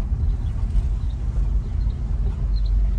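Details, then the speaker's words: 1964 Ford Fairlane barn find with about 30,000 original miles, engine hot, running outside: a low, steady rumble with an even beat and no knocks, ticks or rattles, quiet. Normal running. "Pressure on. Sounds good. It's not noisy. It's quiet."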